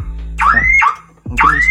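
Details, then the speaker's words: Daihatsu Ayla with a faulty remote, door unlocked manually with the key: factory alarm sounds continuously, repeating rising siren whoops about once a second; the engine will not start. "Nah kita lihat Apa yang akan terjadi jika hasilnya teman-teman alarm akan berbunyi terus tidak henti-hentinya"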